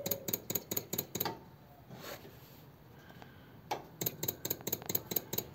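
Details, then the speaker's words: 1933 5-window coupe flathead, sitting nearly three years: electric fuel pump switched on, quick sharp ticking about five a second, a pause, then ticking resumes while filling the carburetor; normal priming, primed when clicking stops. "when it stops clicking you know the carb is primed"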